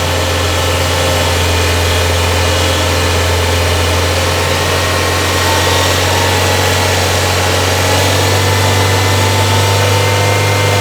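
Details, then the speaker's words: 1994 Toyota Celica idling with accessories on (AC off, blower low) during diagnosis of an intermittent battery light: a thin singing whine rising and fading over the idle, identified as the noisy alternator. "You don't hear that pitch, that whine that's coming and going? That's the alternator. You hear that whine, Jake? That's your alternator singing."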